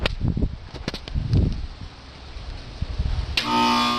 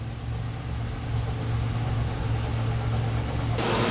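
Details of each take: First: Carrier air conditioner outdoor unit, suddenly won't start: after handling clunks, a steady low electrical hum holds while the fan doesn't spin; compressor hums but fails to start, fixed by replacing the failed run/start capacitor. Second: Carrier central AC outdoor unit after replacing the run/start capacitor (previously only made a noise for a second, fan did not spin): steady low compressor hum with even fan rush, no clicking or straining; starts and runs normally.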